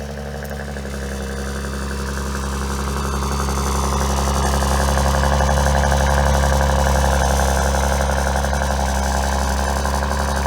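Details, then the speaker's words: Maserati Ghibli around 30,000 miles on a cold start: a loud, steady drone with a faint tinny metallic chatter at its most aggressive, a recurring exhaust rattle once already replaced under warranty; cause suspected, not confirmed; exhaust metallic rattle. "when the exhaust is at its loudest when it's at its most aggressive is when you'll hear the metal noise clinging"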